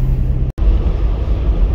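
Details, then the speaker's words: Lifted 4-inch Toyota Land Cruiser 80 series driving after installing a double cardan front driveshaft to cure driveline vibration: steady low road rumble, no rhythmic shudder, front totally silent, rear faintly audible; normal driveshaft operation. "all right driving home i got the new double carton in and so much better such a world of difference if anything it's so quiet that i'm wondering if because i did the front drive shaft only i'm wondering if i can barely hear the rear one just a little bit barely but the front is uh totally silenced"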